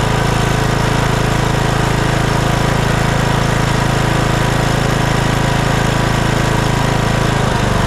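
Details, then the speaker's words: Troy-Bilt Bronco riding mower, Kohler Courage 19, after repair of surging with new carburetor installed and no adjustment: steady even low thrum at idle with no hunting or surging; normal idle. "no adjustment Straight Out of the Box runs just beautifully"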